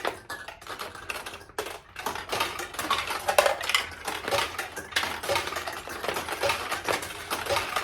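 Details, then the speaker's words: 1969 Nishijin Model A pachinko, restored single-shot conversion: busy irregular clicks and rattles as a launched ball drops through the pins, straight down and internally opening the tulip; mechanism playing normally. "I don't know if you noticed it or not, but the ball went in and dropped straight down and then went in internally and opened this tulip."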